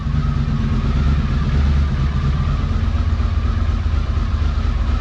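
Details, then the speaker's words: 1982 Honda CX500 Turbo, first run after 25 years, new fuel pump and cleaned injectors: steady, even low idle with smooth regular beat and turbo noises, no misses or knocks; idling cleanly. "Yes! Yes! Yes! And it idles! We're making turbo noises!"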